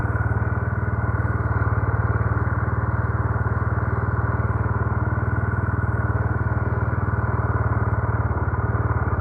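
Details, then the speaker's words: Carbureted motorcycle that had been hard starting and dying at idle, re-jetted from 110 to 120: starts on one click and holds a steady, even single-cylinder putter with no misses; normal idle. "Ganda. One click."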